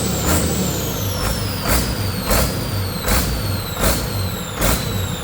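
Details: Detroit 40 series (rebranded Navistar DT466) generator turbo diesel, sat outside 5+ years, running on its own fuel after bleeding injectors: RPM rises and drops every three-quarters second, throttle pulsing; owner suspects the governor.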